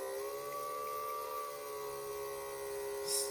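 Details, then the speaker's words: Quarter-scale RC Willys with a cheapest eBay fuel pump: a steady high whine that sags in pitch as the pump labours. Fuel returns but the gauge shows no pressure; cause unconfirmed. "flowing and that the you can hear it the fuel pump really gets a hard time"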